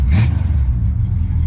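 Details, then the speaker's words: Mopar small-block V8, light throttle blip settling back to a smooth, steady idle; clean exhaust, engine healthy. "that is one smooth running mopar small block give her a little blur she can breathe give her a little barb not too much"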